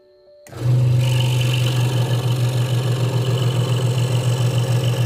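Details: Hegner Multicut 2S scroll saw cutting wood after the blade protector was moved back to stop a rattle: a steady low buzz from the reciprocating blade, even and rattle-free; the saw is cutting normally.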